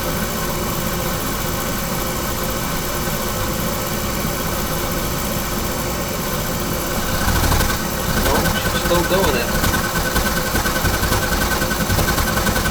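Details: Carlin oil burner blowing black soot, owner-serviced: steady roar with uneven pulsing rumble and a surge, firing rough; pump pressure to be checked next.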